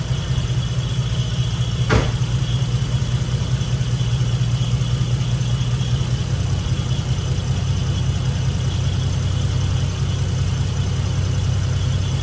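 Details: 1986.5 Toyota Supra MK3 with 2JZGTE VVTi swap and DIY cold-start air valve from Aristo parts: cold idle, no throttle, out of gear; steady even low rumble, one brief click, no misses or knocks; smooth healthy idle.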